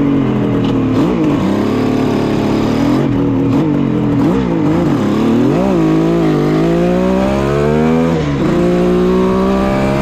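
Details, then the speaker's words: 1974 Kawasaki H1 Mach III fitted with H2 750cc two-stroke triple, warmed up, revving, running a little lean on oil: rough rattly rumble rising with revs, gone when idle drops low; owner suspects crank bearing noise. "so I don't know how well you guys can hear me but now that this thing's warmed up getting some sounds like crank bearing noise"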